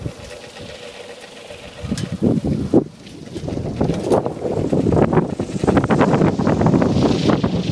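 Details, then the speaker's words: New Sunforce 600 W wind turbine spinning up in gusty wind: rough, uneven clattering builds with rotor speed; something loose or failing inside, cause unknown. "Sounds like crap. [Music] Sounds like [Music] [Music] Sounds like the insides are going to fall out of it."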